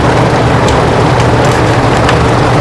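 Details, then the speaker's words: 30-inch whole house attic fan, microphone held right up to it: a steady rush of moving air with a low, even hum and no electronic buzz or loud motor whine. The fan is running quietly and normally. "really is, the only thing I really hear is air moving. I don't hear any sort of, there's no sort of electronic buzz or, a loud motor sound or anything like that."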